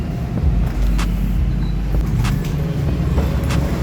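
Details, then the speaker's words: Honda Beat 2015 scooter after an engine rebuild with all-new crankshaft, block and piston kit; the original fault traced to the crankshaft oil passage. It now runs smooth and even like new, with a steady low rumble and no ticking or knocking. "Ini hasilnya guys suaranya halus seperti baru ya karena dalemannya isinya baru semua"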